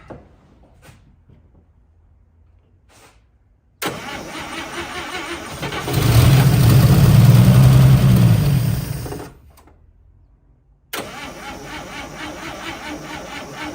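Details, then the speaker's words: 1955 Chevy Two-Ten parked 40 years, cranking with fuel rigged and pump primed: long even cranking bursts about four per second that never catch; fuel pump not pumping. "I hear the fuel pump is fuel pump's not pumping that's a shame"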